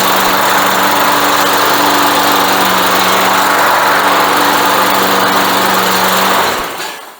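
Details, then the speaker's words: Briggs & Stratton single-cylinder on Craftsman mower, sat for years, after repair: steady even buzz at constant pitch, no misses or surging, then cuts off cleanly; runs healthy. "Tá sí cinnte réidh chun dul tá sí ag mothú go deas agus soladach"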